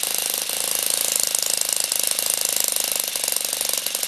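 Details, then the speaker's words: Saito FA-40 four-stroke glow plug model engine, about 500 W, up to 12,000 rpm, valve caps removed: fast even buzz with light rapid valve gear ticking, no misses or knocks; running normally. "The top revolution speed is 12.000 rounds per minute."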